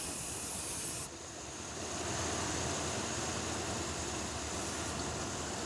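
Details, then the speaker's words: 1981 Chevrolet Corvette carbureted V8, running rough with power loss and inconsistent idle: flammable spray hisses around the carburetor base and the idle changes, revealing a vacuum leak. Fix is replacing the intake gasket. "put a little bit around the base of the carburetor too because those are famous for leaking it's got a leak there so you change the intake gasket and that'll fix that"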